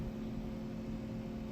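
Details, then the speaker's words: 1981 Atari Tempest color vector monitor after frame transistor replacement and a new regulator wiring harness, tested without high voltage: quiet steady low buzz with faint chatter, no pops or crackles; deflection working normally. "we're going to see if the deflection is working it should work without the high voltage we'll hear it chatter"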